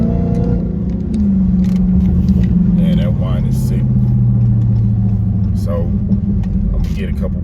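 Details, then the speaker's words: Car with a newly fitted cold air intake on the highway, exhaust cutout open, several hard pulls: low engine roar with a very loud whine on top, pitch sliding with speed; normal supercharger whine. "just do a couple pulls just so y'all can hear the whine cuz it's like super loud and I didn't realize it was gonna be that loud when I when I picked this particular intake"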